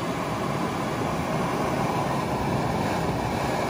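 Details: 1972 Mustang R-code: a brand-new heater blower motor with a reconditioned switch is test-run on high speed after being cycled through slow, medium and high. A steady, even rush of air with a smooth motor drone and no ticking or squeal; healthy.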